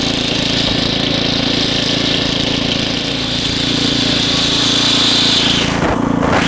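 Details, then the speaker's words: Estate-sale Ariens ST724 snow blower after carburetor rebuild, while snow blowing: small engine drones steadily, speed sagging and recovering slightly; hunting from lean main jet, which needs opening up a little. "Sounds like I need to just open the main up just a little."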